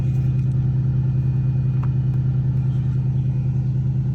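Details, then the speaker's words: 2001 Cadillac DeVille with P1404 EGR code, cold start before EGR valve replacement: steady idle with a smooth hum and a faint constant whir from the secondary air pump blowing air into the intake; RPM drops once it shuts off. "I don't know if you can hear it running but the air system is running throwing air into the uh intake and once that turns off then the RPMs go way down"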